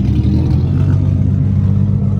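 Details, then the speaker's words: 1JZ-swapped Nissan 240SX S14 after changing spark plugs wetted by washing: a deep, even rumble with no stumbles, running smoothly for now, though it misfired again shortly after. "There she goes, sounds better. Sounds good. Alright, this feels a lot better."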